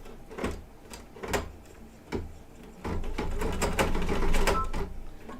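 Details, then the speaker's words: Embroidery machine stitching satin stitches with Kingstar metallic silver thread: uneven clacking needle strokes with heavy thumps and stalls; abnormal, not forming stitches, silver found bunched behind, owner suspects it didn't thread properly. "that does not sound right sorry i stopped talking so i could listen that was kind of weird i don't know if it even stitched something's going on i don't think it's stitched"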